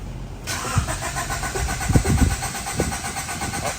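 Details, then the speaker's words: 1990 Honda CRX HF after a fresh CRX Si engine swap, car sat for years, clutch down, check engine light on: starter churns steadily about three and a half seconds with uneven chuffs, never fires. Owner suspects wiring; faulty engine harness. "still don't start yeah it still don't start uh your Signal's on for some reason it is okay so it C be distributor it must be something in this wiring"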